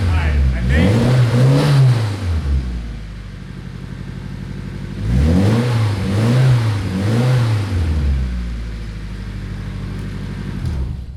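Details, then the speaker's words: Nissan 240SX S13 with SR20DET swap, just fired up after about 14 years abandoned: the turbo four blips up and down smoothly, then settles to a steady, even idle. Sounds close to stock and healthy; normal running. "that is enough for me hell yeah i'm stoked it's sound it's running like a top"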